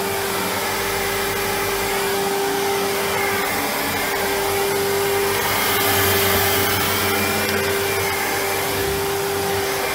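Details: 1997 Sebo X1 upright vacuum on first power-up after collection: steady, even motor roar with a clean high tone and airy rush, no surging, rattling or scraping. Running normally.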